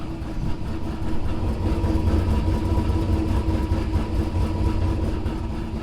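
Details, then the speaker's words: Turbo LS Chevy Avalanche with Sloppy Stage 2 cam (before swap to BTR Truck Norris), warm start, stock 2020 6.2 Silverado exhaust with dual resonators: deep, muffled V8 idle with mild uneven lope; normal idle. "But I wanted to fire it up and let it idle so you guys could hear the sloppy stage 2, because it does have a really good idle."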